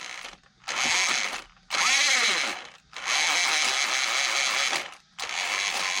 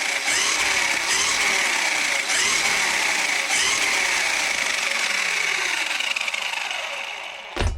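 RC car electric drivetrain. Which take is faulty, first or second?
first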